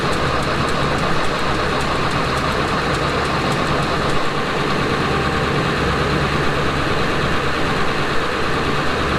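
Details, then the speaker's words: Mercedes 240D OM616 diesel that sat about 15 years, cranking with a truck jump-start. A steady churning turnover never fires. Fuel reaches the cracked injector lines but is nasty sludge; owner suspects bad fuel and stuck or gummed injectors. Some compression smoke appears. "So we cranked for a little bit. I cracked the lines. I have fuel at the lines. It's really nasty fuel."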